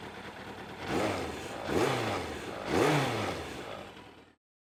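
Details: 2001 Yamaha FZS600 Fazer four-cylinder: three clean blips, each climbing smoothly and falling back to idle, all four cylinders crisp and even; healthy engine.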